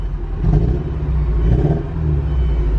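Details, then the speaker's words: Porsche 944 that sat for years, after DME relay jumper fix, after about five minutes idling: smooth steady rumble at proper ~900 rpm instead of 500; improvement possibly from old fuel or injectors clearing. "it no longer idles at 500 RPMs it's at the proper like 900 and it's much more smooth now"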